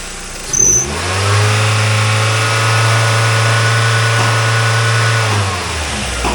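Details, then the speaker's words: 1999 Mazda Miata 1.8L four-cylinder, 5-speed manual, 166,000 miles: clean, even rev from idle that climbs, holds and drops back without misses or knocks; engine sounds healthy with a little blow-by, nothing crazy. "just fine. Got a little blow by, but nothing crazy."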